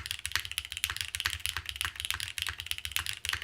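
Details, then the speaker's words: Keycult No. 3 TKL keyboard, normal brisk typing about four keys a second with crisp clacks; harder hits give a faint rattle, thought to be the gasket bottoming out, force break suggested as fix. "But on its own, normal typing here. I am hitting it a few times where I can hear that rattling, but"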